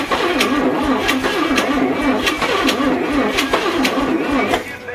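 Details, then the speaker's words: 1962 Chevy K20 truck engine after cylinder head rebuild with lapped valves and a new exhaust valve: quick light cranking with little resistance, firing only briefly; low compression makes it hard to start, starting fluid used. "unfortunately this engine does not have a lot of compression so it's not starting easy"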